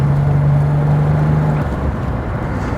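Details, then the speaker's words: Ford Sierra XR4i, 2.8 Cologne V6, on the road: low smooth old-school six-cylinder hum at even pitch under acceleration, then easing off, no knocks or rattles over road noise; healthy engine. "that soundtrack, I'm put in mind of cars like the Datsun 240Z, even big Heelys. It's that sort of old school 6-cylinder wah."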